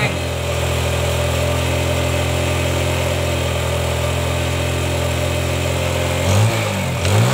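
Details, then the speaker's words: Yamaha Jupiter Z motorcycle after carburetor cleaning with gasoline and air-screw adjustment: steady even idle, smooth low beat, no misses, two clean throttle blips; normal idle. "motor ini sudah saya coba kita hidupkan sudah Enak suaranya"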